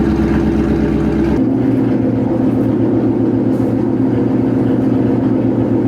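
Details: 2013 Mustang GT V8 idling after an NGK spark plug replacement: uneven stumbling beat about twice a second with irregular pulses, so it is still misfiring. Coil packs are suspected next and a data log is planned for VMP.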